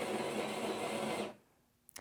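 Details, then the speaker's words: Jura Z8 superautomatic espresso machine brewing a cappuccino at a bumped-up coffee strength: its built-in bean grinder makes a fast, steady whirring grind lasting just over a second, then cuts off cleanly. It grinds quickly and normally. "it's pretty quick though that's another thing the grinder on this goes pretty fast so that's why I'm saying it beforehand"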